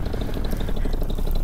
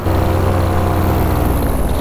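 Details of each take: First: Vittorazi Moster 185 paramotor after Walbro carburetor mixture adjustments, on launch: short steady, even two-stroke buzz with no stumbling or surging; motor sounds as it is supposed to, normal running. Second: Vittorazi Moster 185 paramotor with Walbro carburetor in flight: engine note surges and sags about every second under wind noise; running rough, owner feels it is running rich and stops it to lean out the mixture.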